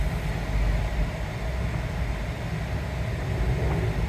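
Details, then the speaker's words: 2007 Jeep JKU, 207,000 miles, that stalls unless both front seats are occupied, revving while stationary: steady even low rumble with no misses, knocks or stumbles; normal engine revving. "is revving up like normal now I am not going to get out on the street because if it decides to die I don't want to be stuck on the street"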